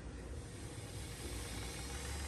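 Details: 1983 JVC HR-7200U top-loading VHS VCR with a cassette inserted: smooth, even whir of tape winding at speed with no scraping, catching or speed wobble; fast-forward runs normally, though play mode fails.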